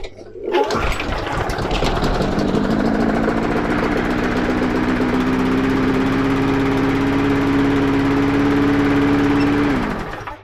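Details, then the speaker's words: MacAllister HP46 lawnmower engine runs at a steady but low, lazy speed that never reaches working rpm; the broken throttle speed control is holding it down, cable to be removed and reset. "it's running a bit slow at the minute as i say because the speed thing ain't working but once we take that cable off we can reset all that"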